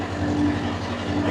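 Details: Constant diesel drone with steady hum and faint whine, no knocks or rattles, from a two-compartment trailer reefer in continuous mode running 24 hours, rear box 15 degrees; normal running.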